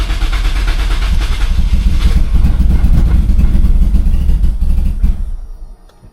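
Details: Turbo Corolla after fuel pump work, primed a few times, no check engine lights: long churning crank, nearly catches several times then dies; starts but won't stay running, cause unknown, possibly little fuel.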